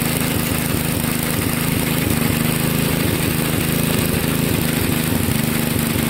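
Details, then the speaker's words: 1963 MTD Lawn Flite lawn tractor single-cylinder engine at its first start after replacing all ignition components: a steady, fast, even idle with no misfire or knock. It is running okay, though the clutch isn't working. "oh well I was interesting the clutch is not working put it in gear and it just takes off but it's running okay"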